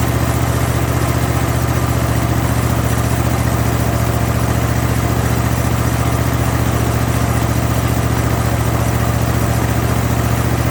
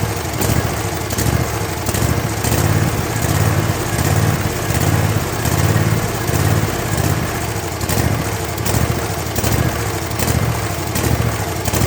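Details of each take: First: Zero-turn mower with Kohler 7000 series engine after a carburetor rebuild kit, previously surging at all speeds: steady, even idle with a firm thump about three beats a second. Normal idle, surging fixed. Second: Kohler 7000 series V-twin on a zero-turn mower, shroud removed: the engine speed rises and falls over and over, surging at idle, mid and full speed, before a carburetor rebuild (kit 25 757 27-S).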